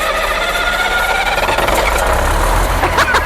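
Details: Machine with a 24-volt starting system: heavy, even cranking with no firing, though a turbo wind-up is heard. Owner first suspected it was getting no fuel; it won't start because the stop switch was left engaged.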